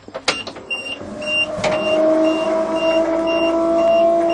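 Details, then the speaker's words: 427 dump truck, last started in March; the fuel pump had failed from a suspected wiring problem, now believed fixed, with fresh fuel added. With the key on, a steady mid-pitched electric hum follows a few knocks: normal fuel pump priming buzz. "hear that buzzing sound now I'll turn the key off so I think we have potential"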